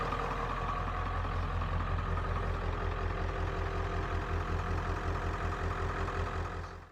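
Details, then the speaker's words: 1995 Ford F350 XLT 4x4 7.3 diesel, ZF5 manual, daily-driven: deep even diesel clatter at steady warm idle, no misses or knocks, then switched off; starts well, good clutch and gears; normal idle. "The clutch feels good and uh the gears feel feel good. So, it's a good running truck and sounds really nice, too."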